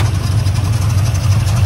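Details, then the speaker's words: 1979 Ford F-150 Custom with a tool body, sat in a scrap pile since 1999, restarted after earlier running: fires right up into a deep, steady, even idle with no tapping or rattling; normal idle. "foreign it fires right up right up okay"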